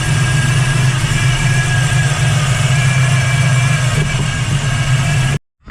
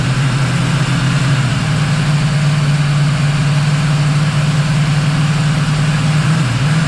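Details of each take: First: 1979 Camaro Z28 V8 with a Pete Jackson gear timing drive, before replacing it with a double-roller timing chain: constant high straight-cut gear whine over a lumpy idle; the gear drive is very noisy. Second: 1979 Camaro Z28 V8 after replacing the noisy Pete Jackson gear drive with an Edelbrock double-roller timing chain, new balancer and water pump: deep, steady, quiet idle with no gear rattle, running rich (AFR about 12.7).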